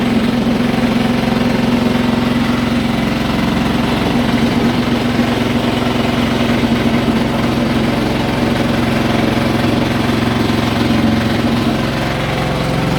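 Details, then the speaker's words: Haier i-Pro Series 7 HW100-B14979S 10 kg washer, under 10 months old, light load on 1400 rpm spin at full speed: constant harsh gritty roar from deep inside the rear middle; owner suspects premature drum bearing failure, unconfirmed. "it really does sound like a pneumatic drill going off in the kitchen"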